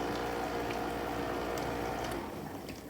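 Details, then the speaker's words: Whirlpool Quiet Partner dishwasher after cleaning a clogged filter screen, no parts replaced (chopper blade broken, replacement ordered); soft watery rush and gurgle fading away, no strain or grinding, initial pump-out then filling; normal drain and fill. "did the initial pump it's filling i'm gonna give it a second and let it kick in the full clean mode and then we're gonna see what we got"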